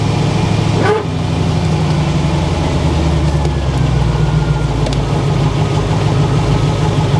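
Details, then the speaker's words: Barn-find Corvette C4 ZR-1 V8 idling after new O2 sensors, a performance chip and a damper check. Even, smooth low rumble with no misses or hunting; bogs slightly just off idle, possibly still calibrating. Normal idle. "Idling, the idle's sweet. I'll tell you what, that oh, it's doing that thing where it just bogs down slightly off idle. That sounds pretty sweet."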